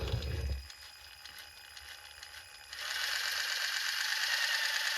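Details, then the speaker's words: 3D-printed Frankenstein RC car differential with nylon gear against factory gear, 600 W motor, under throttle: harsh, gritty high rattle of teeth chewing as they mesh; gears not meshing cleanly, cutting each other. "Does not sound good. But, it is spinning."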